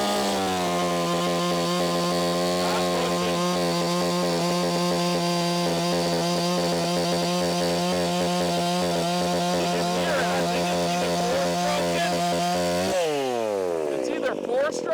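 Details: Echo CS501P chainsaw converted to 3/8 chain with a Sugihara bar, cutting locust at full throttle: screaming, wavering, stuttering note then revs drop; breaking up under load, owner suspects limiter, cause unclear.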